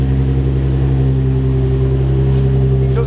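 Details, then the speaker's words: Nissan 350Z that had been misfiring (compression ruled out), restarted after engine strip-down and plug work: loud, deep, steady idle through an open exhaust, firing smooth and even with no stumble; it now seems fixed. "okay so it starts that's a good sign for the back of the car itself for the misfire"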